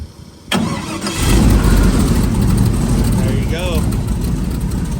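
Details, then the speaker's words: LS3 airboat engine after Holley Sniper fuel injection conversion, 60 psi fuel pressure, no tune, ECU still learning air-fuel mixture: brief crank then steady, even V8 idle without misses or knocks; normal idle. "It's still learning. Basically, you gotta learn all the stuff, get its air fuel mixture right. But I mean, she's sounding freaking good."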